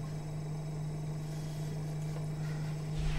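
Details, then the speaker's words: Refrigerator running after being restarted following two to three days off. Steady, even low compressor hum with no clicks or rattles. Normal refrigerator hum. "Sound है जो की normal है इसमें कोई problem नहीं है आप भी साउंड सन सकते हैं तो नॉर्मल साउंड इसमें कोई प्रॉब्लम नहीं है"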